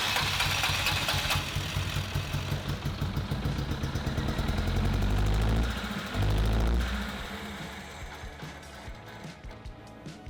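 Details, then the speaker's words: Rare classic car (CRX engine map mentioned) parked in a field six months with bonnet open, first start: catches and runs with uneven lumpy beat, speed rising and sagging before fading; running rough. "go as far as saying it runs, but not very well."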